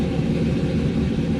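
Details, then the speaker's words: 1996 Impala SS with a swapped 6.0 LS, BTR Stage 4 cam and 3800 stall, started after a remote tune with a higher startup idle: deep, steady, lumpy cam idle. No misfires; idle speed settling down. "Got no misfires, which is good. Yeah, so it looks like the idle's coming down now a little bit."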